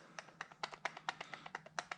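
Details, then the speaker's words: Firebird headlight actuator motor with new brass gears: sharp, irregular metallic clanks as the motor rattles loose on its actuator bracket. The fix is tapping the retaining ears with a punch so the motor sits firmly on the gear housing, which ends the rattle. "hear how that motor clanks around on the little actuator bracket."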